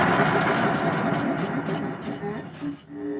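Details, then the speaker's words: Old secondhand air compressor, not yet hooked up: quick steady thumping about three to four beats a second with metallic clatter, sounding like metal against metal; running rough, cause unconfirmed, possibly because it isn't hooked up. "man it don't sound good though man well it's old this might be older than your big blue that is loud sounds like metal is against metal"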